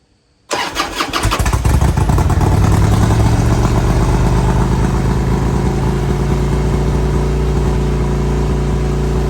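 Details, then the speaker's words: 2002 Harley-Davidson Road King Screaming Eagle (FLHRSEI) after new plugs, wires and carb-side work: starts, then lopes unevenly and idles high without dropping, engine light on; carb-cleaner test later confirms an intake air leak. "Still idling high. I got the engine light on."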